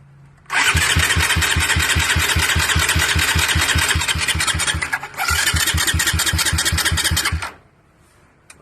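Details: Suzuki Raider 150 with a Pitsbike V3 CDI: about seven seconds of even starter cranking at nearly four strokes a second, one brief pause, never fires; hard starting.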